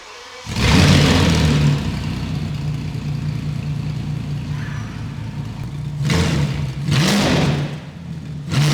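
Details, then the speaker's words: Abandoned VW Phaeton W12 with secondary catalytic converters removed: bursts into a deep booming roar with sharp revs, extremely loud and raw from the decatted exhaust. "That is too loud. Oh my God, it sounds like a dinosaur is in here."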